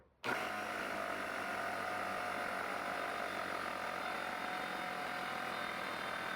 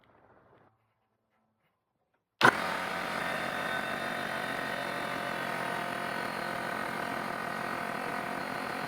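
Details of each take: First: Trash-picked air compressor after regulator rebuild, motor running while the tank fills with a thin constant hiss of air escaping from a loose regulator back nut; snugging the nut fixed it, cut-off at 150 psi. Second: Trash-picked air compressor after fixing leaks and rebuilding the regulator, air gun attached: after a quiet moment the motor starts and runs at an even, steady drone with no hiss or stumble; normal fill, cut off at 150 psi.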